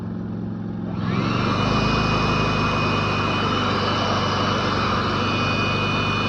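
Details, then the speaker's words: Predator 3500 inverter generator, eco mode on: when a load is added the hum climbs in pitch and loudness after about a second as rpm returns to normal, then holds a steady drone; normal eco-mode speed rise. "But when you put a load, it raises the RPMs back to normal. I don't know if you can hear the engine get louder."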